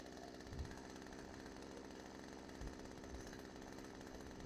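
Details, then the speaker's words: Craftsman chainsaw left outside for years, freed from a stuck state and revived: small two-stroke buzzing at idle with slightly uneven beat; air drawn past a leaking crank seal causes the inconsistent idle and bogging. "cool so the crank seal on this side's leaking a little bit that's where the inconsistent Idol is coming from"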